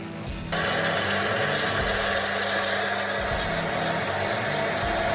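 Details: Einhell BT ML-300 mini lathe after re-tensioning its loose drive belt (before, a hand on it could stop it): motor spins up to a steady even hum with light whir, no bogging or stalling; normal.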